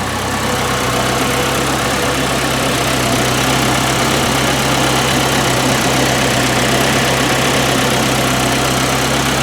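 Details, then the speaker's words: 1981 Alfa Romeo Spider Veloce, just started after years in storage and fuel and ignition work, timing slightly advanced: steady even idle with a constant low hum, no knocks or misses over about ten seconds; normal idle. "see if we can affect the idle a little bit it sounds pretty good to me burn like a kitten"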